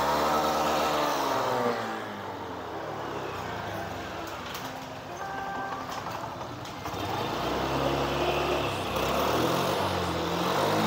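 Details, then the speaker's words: Honda Beat 2021 CVT scooter after its final drive gears (damaged by oil mixed with water and dirt) were reinstalled and refilled with oil: the engine revs up and falls back smoothly with no grinding, knocking or whine, so the gearbox is healthy. "sudah oke jadi Sudah halus semua ya teman-teman"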